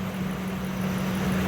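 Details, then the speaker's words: 2001 Ford F-150 4.6 L with code P1506 high idle (stuck above 1,030 rpm), after fixing a PCV-related vacuum leak, engine still warming: smooth, steady hum with no hunting, dropping toward the desired 736 rpm; normal idle. "you can see that cured a problem so it'll continue to drop as needed as the engine warms up"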